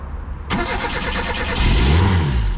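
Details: Old Reliant Rialto carbureted engine at full throttle with choke out: cranks, catches on brake-cleaner spray and revs briefly, then sags and dies; fuel starvation, fuel pump not delivering, cracked hardened fuel lines suspected.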